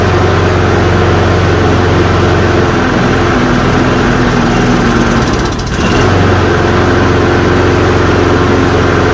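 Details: Toro Recycler self-propelled push mower, 190 cc single-cylinder engine with flywheel-driven choke: holds a steady, even idle with no misses or surging; normal running.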